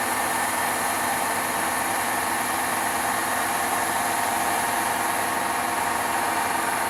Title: Horrible Grinding Noises From Hotpoint Washer